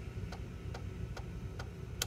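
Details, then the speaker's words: Floppy drive in a Macintosh PowerBook 165 (with failing-capacitor LCD contrast problem) formatting a disk: soft, evenly spaced clicks about two per second as the head steps across tracks; formats successfully, normal operation. "all right looks like it formatted and there we go one formatted"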